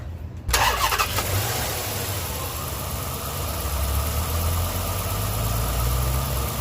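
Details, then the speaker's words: 2006 Dodge Magnum, cold start (about 70 degrees) after transmission swap, car up on jacks: engine catches after a brief crank and settles straight into a smooth, even idle with a steady low hum; runs healthy, sounds a lot better. "nice sounds a lot better"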